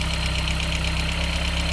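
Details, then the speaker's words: VW Corrado 1.8T just jump started, low on coolant after a hose was removed over winter: loud, lumpy idle with pulsing uneven beat, sounding close to stalling, improving as coolant is added; rough idle. "Sounds like it's gonna die."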